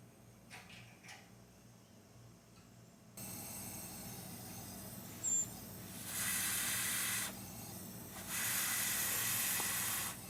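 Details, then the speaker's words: Honeywell 7500 W generator, Honda-clone 420 cc engine, leak-down test at 30 psi: long bursts of sharp air hiss escaping past a valve, not the exhaust; owner suspects carbon broken free while turning the engine over is lodged in the valve seat. "I'm guessing when I pulled the engine over, I must have broke some carbon free and it got jammed up in that valve."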